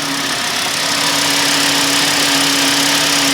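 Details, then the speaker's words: 2006 VW Jetta bought after vandalism, warming up at idle with the steering light on; steady idle with a constant mid-pitched whine, owner suspects the power steering pump, unconfirmed. "Maybe very faint, but it could be the power steering pump."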